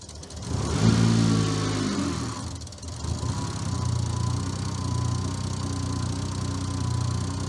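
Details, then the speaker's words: Car with automatic on an ECU Master Classic ECU, idling in park then gear selected, timing light on: short blip, then lower lumpy idle as timing jumps around 30°; ECU reads wrong trigger edge. "Oh, look at that. We are like we're around 30° Close there. So that's our problem."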